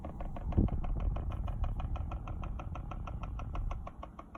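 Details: Volkswagen Golf Mk5 with fast, steady light ticking, several a second, from behind the dashboard over a low engine rumble; cause unknown.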